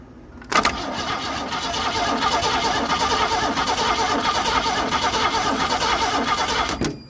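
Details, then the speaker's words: GM Andino truck with swapped Ford V6, sat years in a field, starter fed directly at solenoid with starting spray: starter cranks evenly about six seconds with uneven chuffing, no firing because ignition switch was off. "Wait a minute. I just remembered the ignition has to be on."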